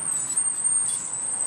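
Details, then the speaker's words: Car while driving: thin steady high-pitched squeal over road noise, initially unknown, from the brake pad wear indicator rubbing the rotor. "making kind of a squeaky noise we're not quite sure what it is so we're to investigate"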